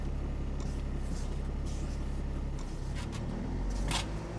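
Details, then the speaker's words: Dodge Sprinter diesel during a scan-tool forced DPF regeneration: with no pedal input it holds a steady low drone at about 2000 rpm, the normal raised regeneration idle. "so right there i hope you can hear i'm not stepping on the gas pedal but the engine rpm is high okay so the engine rpm is around 2000 rpm"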